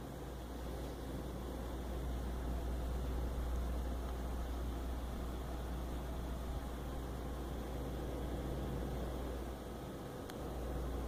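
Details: EVGA GTX 760 graphics card under test for coil whine: steady low fan rumble and airflow with no high-pitched whine; no coil whine, normal fan noise (power supply whines only when PC is shut down).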